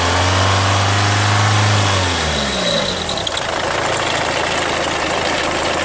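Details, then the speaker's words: 2003 Renault Mégane II 1.5 dCi diesel at idle: steady idle with light fast bird-like chirping about four per second over the clatter; owner suspects the timing belt needs redoing, not confirmed. "Voilà, c'est un bruit d'oiseau."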